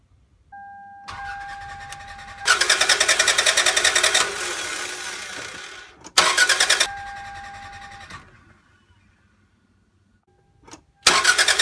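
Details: 1996-2001 Toyota Camry 2.2L 5S-FE four-cylinder that shut off while driving, now a no-start: starter spins fast and light in bursts with no compression beats, engine turning too easily; suspected broken timing belt.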